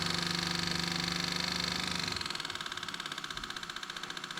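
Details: 2004 Yamaha Road Star Midnight Edition after replacing a sporadic fuel pump, filter and lines, tank refilled, petcock on: steady electric hum with fast even pulsing that pitches up and settles as pressure builds; normal fuel pump priming.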